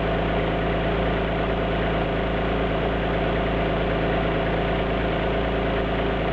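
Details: Alfa Romeo GT V6 at idle: a recurring low stumble in the exhaust beat, with a skipping cylinder breaking the even rhythm; an idle misfire.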